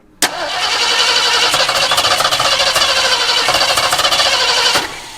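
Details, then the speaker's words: Mid-1970s Ford Ranchero parked for a number of years, cranking about four seconds after fueling: uneven random firing pops that never catch; inconsistent ignition traced to spark plug wires off by one position, cap and rotor clean. "Well, it's got fuel, so we should probably check on spark cuz it sounds really inconsistent. Yeah, it's getting it's hopping goofy."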